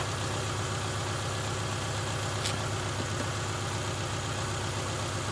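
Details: 2000 Subaru Outback 2.5 L boxer four-cylinder idling after replacing a non-charging alternator, charging 14.4–14.45 V. Smooth, even idle with a steady low drone, no knocks, misses or squeals: normal idle.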